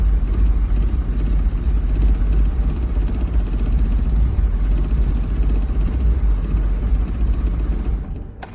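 A low, lumpy, uneven rumble with an unsteady beat right after starting; this rough running points to vacuum leaks upsetting the mixture.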